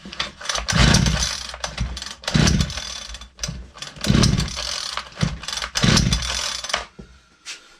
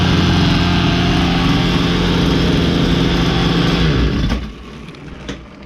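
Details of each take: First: Ryobi LT2 two-stroke petrol trimmer that stopped firing after a tank refill, primed and run with no air filter and choke off: four short bursts, each catching, revving briefly and dying; fires but won't keep running. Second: Ryobi LT2 two-stroke petrol trimmer after repair, which had stopped firing after a tank refill: high buzzy note holds steady at revs, then cuts off cleanly; running smoothly and strongly.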